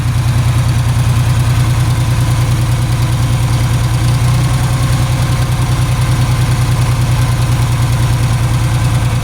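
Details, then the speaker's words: Ford 3000 three-cylinder tractor, about 5 minutes after start: steady low idle with uneven, lumpy beat as the dead third cylinder tries to catch before running on all three; misfire. "After about 5 minutes, you can hear it start trying to fire off on the third one. See if you can hear it there. Hear it trying to kick in there, and then all of a sudden it'll take off and run on all 3."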